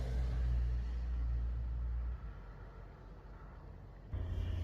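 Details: Chevy Cobalt SS four-cylinder at idle after engine replacement: deep, slightly uneven rumble from a misfire; the scan flagged fuel injector 3, and cylinder 3's injector is disconnected or its wiring is not hooked up correctly.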